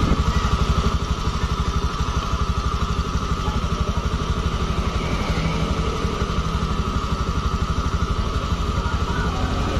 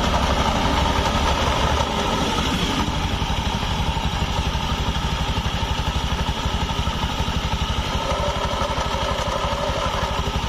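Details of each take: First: Honda automatic scooter after replacing the rear pulley bearings in the CVT area: smooth even idle hum, rear wheel turning quietly with no rough bearing grinding. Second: Honda automatic scooter idling with open CVT cover: rough, gritty clatter that turns soft when the rear wheel is spun forward by hand, traced to a worn needle bearing in the rear (secondary) pulley.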